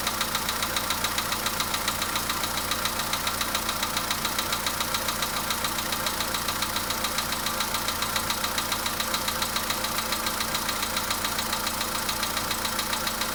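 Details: VW Polo Sedan engine knock at idle: sharp, even tick-knock about three and a half per second over the engine note; knock of unknown cause.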